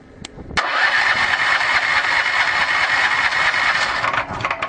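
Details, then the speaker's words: 13HP small engine on Victory wood gasifier gas, starter tried after closing flare valve and blower; mixture too lean. Hissy cranking about three to four turns a second never catches: failed start, needs richer mixture. "i need to just adjust the mixture make it a bit richer have another go"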